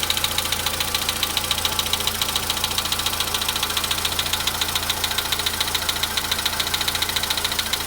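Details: VW Polo Sedan at 93,000 km, cold start: fast, even ticking knock three or four per second over the idle, mechanical from inside the engine; cause not confirmed; engine knock at cold start.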